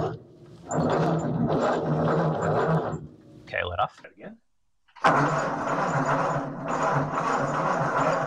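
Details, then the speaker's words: 1944 Ford 2N tractor, starting fluid used: starter churns steadily in two long bursts but engine never catches; spark tester shows no spark, so ignition coil or distributor suspected bad. "all right so she didn't want to fire up I put my spark tester on it and we have no spark so I'm pretty sure that means that our coil is bad or our distributor"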